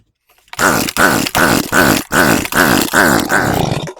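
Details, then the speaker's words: Echo PB250LN two-stroke leaf blower, fresh fuel poured into intake: about eight quick pull-start strokes, each a raspy turnover, never catches; cranks but won't start, found to be no spark from faulty ignition coil. "All right, can't get it to fire. That could mean spark or a compression issue."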